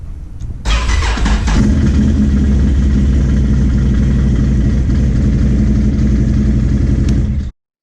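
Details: Can-Am ATV that smoked at the back and wouldn't start after coming out of storage: the starter whirs briefly, then the engine catches and settles into a steady, even idle once a new starter relay is fitted. It now starts and runs normally.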